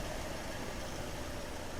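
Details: Skoda Fabia diesel with a cold start after three shorted injectors were replaced (it previously smoked, had no pickup and showed check-engine and coil lights): an even, steady low rumble with no knocks, misses or surging. It idles smoothly.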